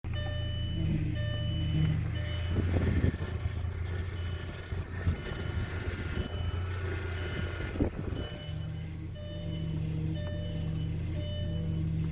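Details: Audi A4 B5: thin high whine over steady idle, rising as the steering wheel is turned; power steering pump whine, possibly low fluid or a rack leak, not confirmed.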